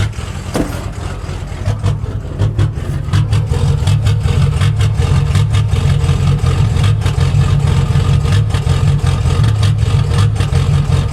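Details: Ford 6.0 diesel idling in neutral with deep uneven lope; smooths out in reverse; owner blames a bad tune and plugged injectors.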